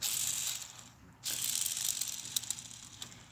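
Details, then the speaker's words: Motorcycle crankcase bearings removed from split cases, spun by hand: fast uneven ratcheting click and gritty rasp instead of smooth spin; both crank bearings worn out, causing grinding heard when kickstarting. "Man. You can definitely hear that. Both bearings are shot. Click, click, click, click, click, click. Hear it? That's how bad it was."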